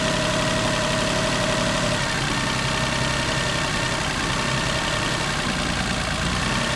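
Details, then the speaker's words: Daihatsu Cocoa, neglected maintenance, no check light: busy uneven idle with light irregular rattle and larger than normal idle vibration, sluggish revving; engine oil found far too low, cause of rough running suspected. "あとアイドリング時の中振動も大きいかなという感じもしますね別段まあ一期と死んでるとかそんなに大きな振動ではないです"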